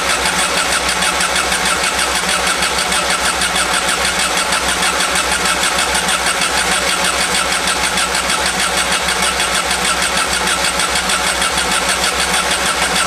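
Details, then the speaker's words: 1991 Volkswagen Vanagon after engine swap, distributor and top dead center checked: long, even starter cranking with no firing; crank no start, owner suspects air in the fuel lines. "maybe it's possible there's just um some air in the fuel lines so I may just uh crank it a few more tries and see if uh that's the problem and see if maybe it kicks over"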